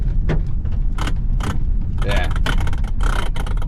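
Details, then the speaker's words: Kia Optima driven over bumps: sharp clacks in irregular bursts over a low driving rumble, felt in the steering wheel, from a worn steering coupler bushing; fix is a new Dorman bushing. "just for your reference you hit bumps Clacks so you can feel in the wheel not too desirable"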